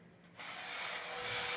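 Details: Vintage toy TV Space Robot whose plastic gears were cracked or slipping, running after repair: walking, eyes lit, with a clicking mechanism. Motor settles into an even whirring buzz with no slipping or grinding; the gear train runs cleanly.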